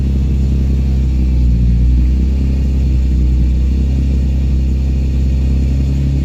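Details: Nissan 350Z VQ35 after new battery fitted to address a misfire: deep, even idle rumble with no skips or stumbles, idle still slightly low, misfire no longer heard; normal idle.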